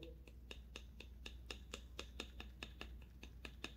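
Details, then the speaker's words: Nissan Tiida front sway bar end link shaken quickly by hand: sharp rapid clacks about four a second from heavy play; worn links cause front-wheel knocking over potholes, cobbled and dirt roads. "hago lo mismo con este otro tornillo estabilizador vean como también tiene mucho juego lo muevo rápidamente y se escucha el golpeteo"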